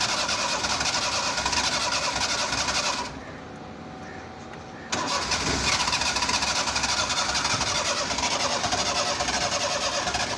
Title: Seema | Cold Hard Start| Car Trouble Trying Cranking Pedal pumping | #crankingCar